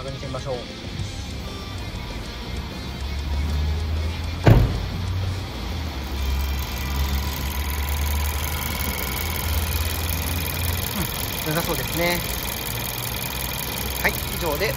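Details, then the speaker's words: VW The Beetle after replacing a rattling water pump and vacuum-filling the coolant: quiet, steady low hum at idle with no rattle or chatter from the front; the engine runs smoothly and normally. "I 'd like to start the engine from now on and check the operation . It's quiet."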